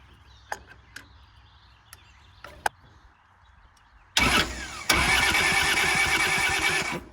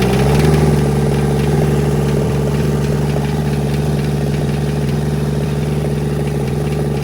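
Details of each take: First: Kubota L285 4-cylinder diesel tractor, sat outside 8+ years: starter churns steadily about three seconds but the engine never fires; cracked injectors show air in the fuel system, with a leaking fuel line and weak injector pressure. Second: Kubota L285 four-cylinder diesel tractor, first start after 8+ years sitting, after bleeding air from the injectors: steady even chug around 200 beats a minute with no knocks or misses; healthy settled idle.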